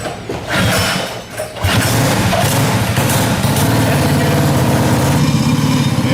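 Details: Predator 212 engine (hot-built, flat-slide carb, clear valve cover), pulled from a collapsed shed after years, catches after a couple of cranks and settles into a steady, even putter with a slight uneven lope; running healthy.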